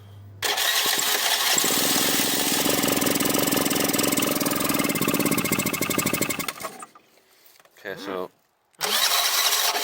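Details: 2007 Piaggio MP3 scooter, no start, carb cleaner sprayed into the intake with throttle opened: it fires and buzzes for about six seconds, then fades and dies. Fuel starvation; carb blockage or split intake hose suspected.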